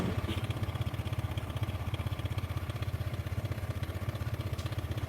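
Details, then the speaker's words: Motorcycle at idle with a harsh noise, first suspected internal balancer or crankshaft trouble but ruled out: fast, even clatter about four times a second over the low thump, clacking when stopping; cam chain tensioner rattle. "suaranya bisa halus halus Kalau berhenti bunyi klek gitu teman-teman jadi punya kasar kayak gini kalau berhenti bunyi ceklek gitu"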